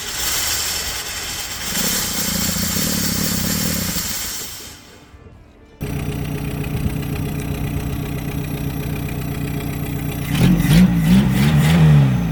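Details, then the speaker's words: 1976 Toyota Hilux Chinook with a 20R engine, revived after sitting for years; it bogs, stumbles, cuts out and restarts with a choked beat. The muffler was suspected clogged. "Something in the exhaust. So I'm guessing that muffler is just clogged tight."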